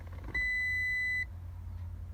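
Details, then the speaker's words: 2000 Toyota Sienna, steering wheel removed, continuity tester between steering shaft and ground: one clean beep only when the wheel is pushed, since the faulty shaft bearing makes ground intermittently. Intermittent horn ground; fixed with a separate ground wire to the shaft. "so now I'm trying to a little bit push the steering wheel and we'll hear the beep that means we'll have the account nudity between the steering wheel shaft and ground"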